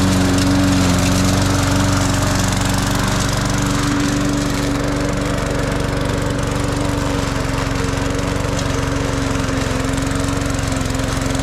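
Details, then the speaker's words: Cheap Walmart push mower mowing a track; steady drone that dips slightly as it bites into grass, then recovers without stalling; pulls strongly under load. "Actually very impressed in that lawnmower."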